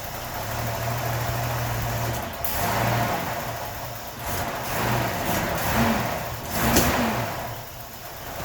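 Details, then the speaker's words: 1981 Nissan 280ZX, non-turbo, 80,000 miles, stored since 1991. Uneven cold idle with throttle blips and sharp backfire pops every few seconds. Fuel pressure checks good (35 psi idle, regulator to 42), and richening via the air flow meter doesn't stop the backfire. Cause not found. "so it doesn't really make any difference even if you richen it with the air fuel meter you still get that backfire"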